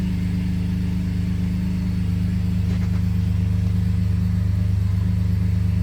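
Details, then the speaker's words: 2017–2022 Colorado/Canyon LGZ V6 with Soler throttle body and Trifecta tune, first start after fitting a ported intake manifold and new spark plugs, having sat a couple of hours: fires right up with no warning lights. Steady, even, healthy idle. "Fired right up. No warning lights is good."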